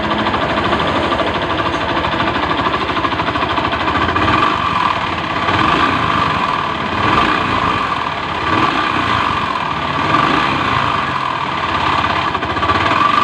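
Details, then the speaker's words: Honda Beat FI scooter, rough and clattery, with a dull knock under the idle and heavy shake. A loose, worn crankshaft main bearing worsens vibration at low and high rpm. Fix was an original block plus piston kit, keeping the con rod. "berarti sumber masalahnya ada di pagar kruk as-nya Ya udah koplak jadi getarannya semakin besar ya di RPM rendah dan RPM tinggi jatuh jelek ya"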